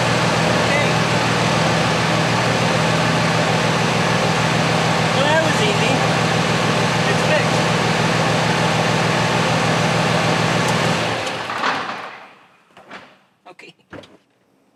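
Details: 2006 Ram 2500, 5.9L Cummins diesel, 130,000 miles: after refilling power steering/hydroboost fluid and refitting the missing cap, the engine idles evenly with no pump whine or groan until shutdown, so the pump is running quietly and normally.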